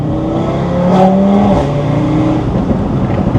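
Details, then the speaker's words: Audi RS3 2.5-litre five-cylinder in Dynamic mode, cold day: gravelly, uneven, boxer-like exhaust drone below about 3500 rpm when cruising or revving slowly, then opens up above 3500; owner thinks cam profile change causes it, not confirmed. "under like 30600 RPM when you're just cruising around town or just going through the RPMs kind of slowly it doesn't all sound that good like it it has like a"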